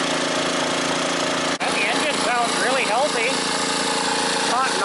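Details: Scrapyard generator powering two heaters at maximum: steady, even drone at constant speed, no knocks or rattles; exhaust sooty, muffler likely has buildup; normal running under full load.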